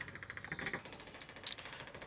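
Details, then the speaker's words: Small clicking transfer pump draining fuel from a Nissan X-Trail T31 dCi diesel tank contaminated with aluminium cleaner used instead of DPF additive: fast, even clicking at a steady rate, no stumbles or grinding, transferring slowly; normal pump operation. "So, at the moment I've got clicky clacky pump transferring the fuel. Look, slowly, but I don't have to do it by hand."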